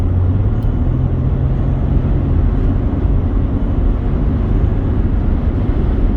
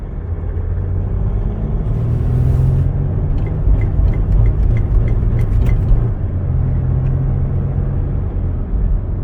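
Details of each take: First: 2008 Mercedes-Benz ML320 diesel, about 172,000 miles, after resoldering the failed wastegate actuator (codes 2359 overboost, 2510 wastegate fault) and replacing dirty air filters: deep, steady drone pulls evenly under throttle, good boost, no power loss or cutback; normal turbo diesel acceleration. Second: 2008 Mercedes-Benz ML320 diesel, about 172,000 miles, codes 2359 overboost and 2510 wastegate actuator fault: on road test under heavy throttle it pulls hard, then the drone surges and falls away unevenly as it goes into safety fuel cut; overboost from a faulty wastegate actuator.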